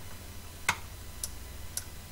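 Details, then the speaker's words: Hoover Candy tumble dryer not heating: old relay clicks three times, softly and sharply over low mains hum, quieter than normal; coil energises but no continuity across contacts, whose tips have carbonised. "as I said you can hear the relay is much quieter when it's clicking"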